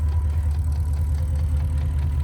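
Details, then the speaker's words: Porsche Cayenne V8, mileage 240 thousand, said to be already sleeved (owner will check), idling with a deep steady rumble and a faint quick ticking (tsokaet) heard through an opening; engine ticking at idle. "Нормально он думает, шлепает. Неплохо. При условии, что он цокает."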